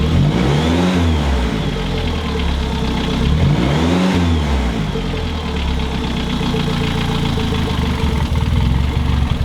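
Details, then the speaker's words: Mid-engine Mitsubishi Eclipse 4G63 rough idle with blips and dull knock following engine speed; bottom-end bearings inspected and looked fine yet it still knocks, source not found. "this one's the opposite all the bearings look fine and yet it's knocking"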